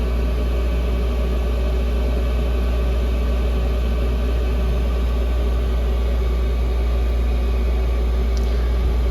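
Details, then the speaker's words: Chinese air heater (Webasto-style) in its shutdown cleaning cycle, still blowing hot air: loud, constant low hum with steady fan rush; normal fan noise. "Pareil, quand il fait son cycle de nettoyage, il n'est pas discret. Hein. T'as vu? Le bruit de la ventile."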